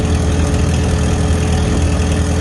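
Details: 1949 Farmall H gas tractor: smooth even low idle thump with no rattle or skipped beats before shutoff; engine running healthy.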